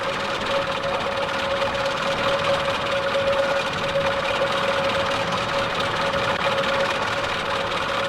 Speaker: Band three, a worn timing chain on a four-cylinder engine.